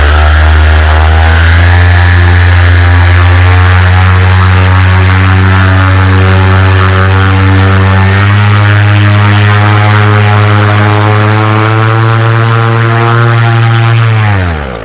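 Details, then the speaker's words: SP140 electric paramotor, newly delivered, run-up with a 205 lb pilot: loud, deep, steady propeller drone, then smooth spool-down; normal. "wow that is definitely more thrust than the than the moster 185. i was at about three quarter throttle that's probably about where the moster lines up and this thing still had room to go"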